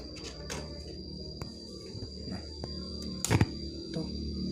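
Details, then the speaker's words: Active stereo speaker, one side dead with hum: playing music with low hum, sharp irregular crackles whenever volume potentiometer is turned slightly; scratchy volume pot. "saya potensio volume Saya putar-putar sedikit aja suaranya sudah terdengar jelas ada suara noise dan resep-resep gitu"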